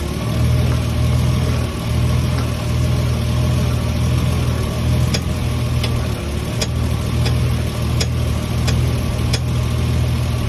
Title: Lexus is300 unknown popping noise